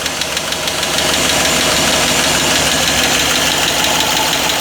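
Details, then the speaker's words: Chevy Silverado 4x4 just after an engine swap (old engine had a blown head gasket), first start on a booster pack: fast, light ticking over a rough idle that slows and quietens; top-end tick as oil reaches the top end suspected. "Oh yeah, that chicken's, it's slowing down, getting a little quieter."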